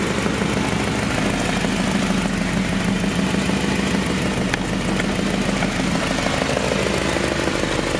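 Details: H23A-swapped Honda Accord with a morning-only no-start, after replacing the suspected ECT sensor: steady, even idle with a smooth low hum, no knocks or misses; sounds healthy.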